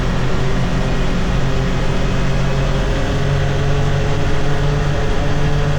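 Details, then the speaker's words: 2022 Can-Am Defender HD9 DPS cab with factory heater, driving at cruise after foam weather stripping fixed the loose heater core rattle in the front center: steady engine drone with no cab rattle, only a faint small ting noticed. "Okay. So, that that was a lot better. I heard this little tingy sound after, but I never noticed that before. Probably cuz that was rattling too much."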